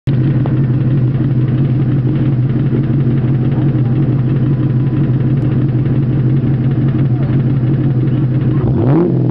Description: a rod knocking in my 2001 mustang gt convertible before i rebuilt it